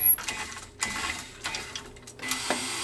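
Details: Betson Imperial Big Choice claw crane machine after repair, with a fuse replaced and a sticking button: short motor whirs and soft clicks in bursts as the gantry moves and the claw drops and closes; working normally.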